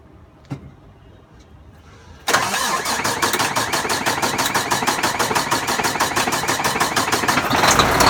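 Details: Volvo D13 diesel first start after replacing double idler gear in timing gear compartment; starter cranks steadily about three turns a second for six seconds without catching, hard start.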